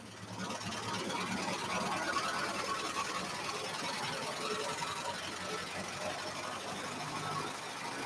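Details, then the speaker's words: 1949 Studebaker Champion engine first started on starting fluid: steady idle with an even beat, no ticking or clacking from the top end even without pumping up the lifters; normal healthy idle. "it sounds good no it sounds real good didn't even have to like pump up the lifters or anything"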